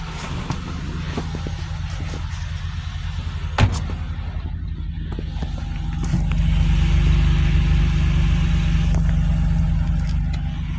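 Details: 2004 Buick LeSabre 3.8 V6 after fixing P0300 misfire by replacing the bad ignition control module: smooth, steady idle with even low rumble, no stumbles; runs and drives much better.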